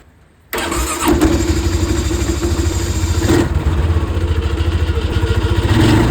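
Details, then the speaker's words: Polaris Sportsman 550 XP ATV single-cylinder, just fitted with a new drive belt: quick crank, catches at once and settles into an even idle with no knocks or belt squeal; normal start and idle after belt replacement. "Now just spin this until the belt tightens up. Perfect. I'm just going to start it up and make sure it runs nicely."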